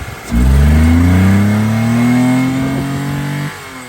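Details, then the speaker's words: Mitsubishi Mirage after purging water from fuel rail and injectors following a deep water crossing: clean rev rises smoothly, holds about three seconds, drops back to idle without stumbling; engine now running well. "That's better. Well, Andy did a rev off. It seems to be going good now."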